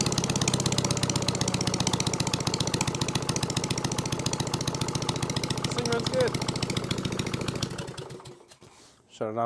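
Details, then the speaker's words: Case trencher engine, recently revived and started via jumper wire, with cooling fan not hooked up, runs with an even, steady chugging beat, no knocks or misses, then winds down; normal running. "the engine gets too hot cooling Fan's not hooked up that runs good hell yeah that's a win that is an absolute win"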